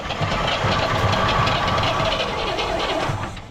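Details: 1970 El Camino 396 four-speed, sitting 38 years, spark and compression confirmed, crank attempt: fast, uneven chugging about three beats a second with a few weak catches but no steady firing; cranks but won't start.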